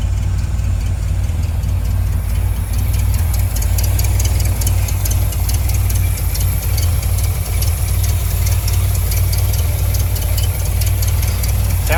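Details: 1973 Dodge Dart Swinger, sat over a decade, first start after battery charging: deep, steady idle holding on its own with an even beat and no misses or knocks; normal idle.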